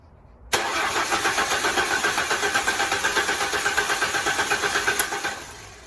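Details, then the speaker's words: 2004 Mustang 3.8L V6 compression test with the fuel pump and coil disabled, owner reporting some power loss and leaks: about four seconds of even cranking at roughly four beats a second. The gauge reached 150, normal for this car. "reach 150 not bad that's normal for this car so we'll do that same test on all the other uh locations as well"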